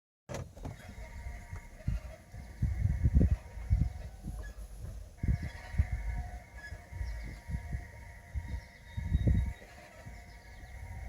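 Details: Lexus CT 200h moving over bumps: irregular creaky squeals and low thumps in bursts; owner asks whether ball joint or control arm bushings, cause unconfirmed.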